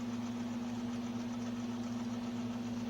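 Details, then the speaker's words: Sunbeam Carousel rotisserie on its test run after a burned-out motor was repaired: a quiet, perfectly steady low hum with no wobble, knocks or grinding. The basket turns smoothly; the motor runs normally. "The basket's turning very nicely."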